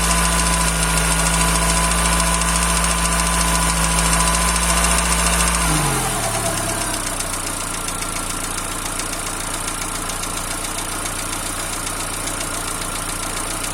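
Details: TU5JP4 engine at cold idle: a sharp, regular tapping about three to four times a second that appears about a minute after start-up and disappears once the engine is warm; cold-engine knock.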